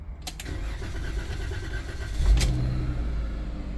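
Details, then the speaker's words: Dodge Promaster 1500 after replacing the electronic shifter module and clearing codes: the starter cranks briefly, then the engine catches cleanly into a steady, even idle with no stumbling. "And it did. Start right up. Now it's running."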